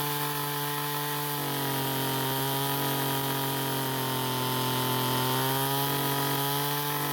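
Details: Ryobi two-stroke string trimmer that wouldn't start, after carburettor H screw turned counterclockwise for more fuel: strong steady buzz that picks up cleanly with throttle; engine runs much better.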